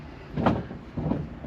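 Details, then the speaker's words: 1968 Volkswagen pop-top camper bus: three dull clunks about half a second apart as a part is moved by hand, showing excessive play in a joint that still needs diagnosing. "the only other thing i'm concerned about mechanically really is that is all play right there"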